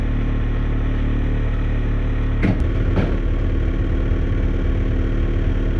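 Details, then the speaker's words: Old noisy Atwood RV camper furnace, heard from the outside access panel: steady droning hum with a coarse rattle and a couple of sharp knocks; sounds like an out-of-balance blower wheel. "I've seen it where those plastic squirrel cages as the furnace gets hotter and hotter and hotter it causes the plastic to expand and if there's a crack in it it just it makes it expand and it just makes gets the rattle"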